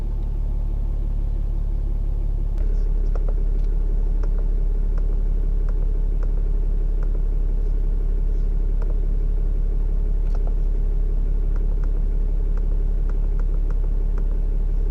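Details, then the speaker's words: Dodge Ram Cummins diesel after fuel filter replacement: starts, shuts off, restarts, then settles into a steady diesel rumble at even idle with light regular clatter; runs smoothly, sounds healthy. "It's gonna start, shuts off, starts, shuts off, and then it's gonna idle."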